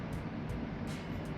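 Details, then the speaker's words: Car that shakes badly and makes odd noises on start-up: rough, heavy engine rumble with sharp knocks about twice a second. Cause: a broken piston that partly left the engine. "Pretty sure one of your pistons decided to try and make its leave from the engine. Didn't make it all the way out, though."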